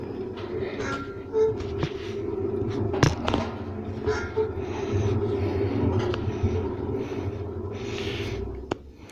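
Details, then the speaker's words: Hotpoint WM74 washing machine drum turning at gentle wash speed: a low hum with scattered creaks and clicks from the drum bearings. Owner thinks the motor may also need work and notes a twang when the drum turns the other way. Suspected worn bearings. "so you can hear the bearings i think the motor might need some work on it as well let's have a listen on a gentle gentle speed the bearings creak a bit"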